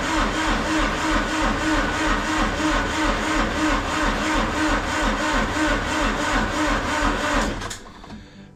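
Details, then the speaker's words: Massey Ferguson GC2300 diesel tractor after a -26° night, about -12° now, glow plugs cycled, battery dropping to about 8.3 V: slow laboured cranking at about three turns a second that never catches; weak battery, needs jumper. "10 seconds. It ain't going to go. I have to go get my jumper."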